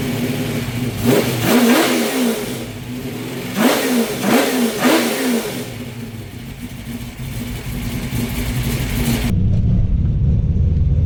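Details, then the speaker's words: 408 small-block Mopar Challenger with new out-of-box Holley 850 Brawler carb (replacing 750), floats just adjusted, warming up in garage, no load: two sharp throttle blips climb cleanly and return to steady idle without bog or hesitation. "as far as sitting here it doesn't seem to have any hesitation or anything when you Gess it but ain't got no load against it"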